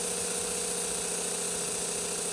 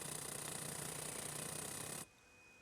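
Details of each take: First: Berdair 12 V pump on a PWM signal generator at 30 Hz: a steady hum with fast flutter, like an old piston engine idling. The choppy pulsing comes from the low PWM frequency. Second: Berdair 12 V pump on a PWM signal generator at 15% duty cycle, frequency raised from 20 to 30 Hz: a steady low hum with a faint high whine and no surging. It is running much smoother.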